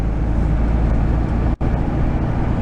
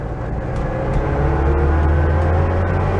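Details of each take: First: 1974 VW Super Beetle on the road after swapping in a rebuilt transmission: steady road rumble, some noise from one rear tire, and the old transmission whine is gone; normal transmission. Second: 1974 VW Super Beetle on a drive, transmission whine worsening for years: thin whine rising and falling with road speed over engine rumble; owner suspects the main bearing, not confirmed.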